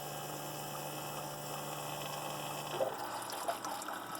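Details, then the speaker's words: Keurig B70 that cycles water from the reservoir out the vent and back, with no clog: while ready to brew, a steady low pump hum under trickling water, with a tone change as the water pump stops and the air pump starts. Normal operation. "Ready to brew. Sounds good so far."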